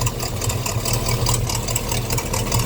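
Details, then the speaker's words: 350 Chevy small-block V8 in a pickup: lumpy idle with a sharp rapid puffing tick in time with the firing, sounding like an exhaust manifold leak; exhaust actually blowing from the intake manifold gasket. "I don't know how much this is going to come through in the video but it sounds like a leaking exhaust manifold but what it actually is is that area that I was pointing at"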